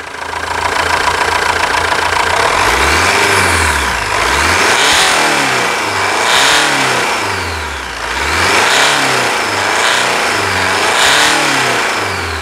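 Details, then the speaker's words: Jeep Compass diesel heard from underneath after a stabilizer bar replacement: steady diesel clatter that rises and falls evenly with revs, no knocks; the loud suspension bang is gone. "e é muita melodia esses barulho de motores a diesel"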